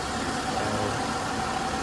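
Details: 2010 Buick Lucerne 3.9 L V6, warm, idling after repair for coolant pushing into overflow tank: steady even hum with faint constant tone, no gurgling from cooling system as before; problem fixed, healthy.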